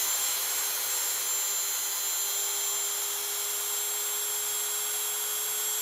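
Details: Water-damaged Dremel 3000 rotary tool with a previously seized shaft, after bearing disassembled and oiled, small grinder bit fitted: high steady whine at a constant pitch with no rattle or grinding; repaired and running normally.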